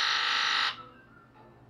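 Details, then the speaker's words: Ford F250 7.3 Powerstroke diesel with diesel fuel in the coolant, key-on injector buzz test: a sharp, crisp rattle from all eight injectors, then each one in turn. It sounds healthy; number 3 seemed slightly quieter and is suspect. "it's going to buzz all out of the injectors first and then it's going to buzz one at a time and what we're listening to is a knife nice healthy crisp rattle a muffled rattle indicates an injector that's not real happy"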